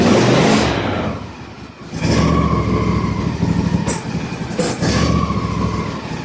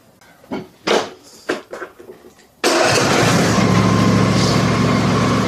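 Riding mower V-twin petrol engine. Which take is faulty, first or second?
first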